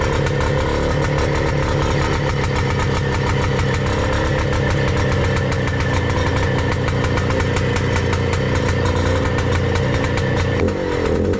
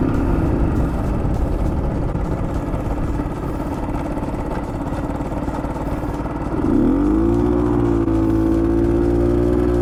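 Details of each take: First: Bultaco Alpina 350 two-stroke after the condenser replacement, with new carb and tank: a crisp, even idle with no misses. Rubbers are fitted to the cylinder fins; running healthy before the test ride. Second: Bultaco Alpina 350 on a road ride, with a rough pulsing knock under load as revs rise. The owner first suspects a low-grade spark plug (the head has two plug holes); the cause is unclear.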